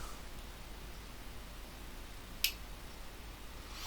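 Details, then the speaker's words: Dick Smith Q-1760 bench power supply after repair and new capacitors: quiet hum, then one crisp relay click as the output voltage is turned up past about 15 V; the tap-changeover relay works normally. "Um, if we turn it up to about 15 volts, you should hear the relay click."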